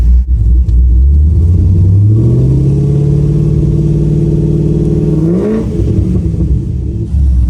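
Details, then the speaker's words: Self-built salvaged Kolohe Corvette race car, idled a couple of minutes in cold weather to circulate fluids, battery slightly low: deep lumpy V8 rumble revving smoothly and dropping back, even and healthy. "Sounds healthy. She's ready to roll."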